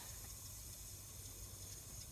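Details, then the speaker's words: 1987 Chevrolet Scottsdale squarebody, valve seal replacement: with rockers and springs off and compressed air in the cylinder holding the valves up, a steady airy hiss with no rhythm is heard, air leaking past a valve that isn't sealing. "Hear that noise? Mm-hmm. That's air leaking past the"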